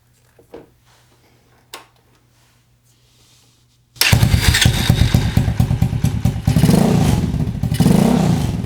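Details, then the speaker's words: Small motorcycle just after ignition coil replacement, spark plugs reconnected: a few quiet clicks, then the engine starts and settles into a steady, even idle with no misfires heard. "Well, it sounds good. I didn't hear any misfires."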